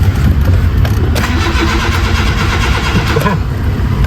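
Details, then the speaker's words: Honda City, during repair with the newly bought ICV not fitted: starter grinds long with uneven rumble before catching reluctantly, temperature-related hard start, idle still high. "temperature hard start to kanina eh na oh taas pa rin ha taas pa rin"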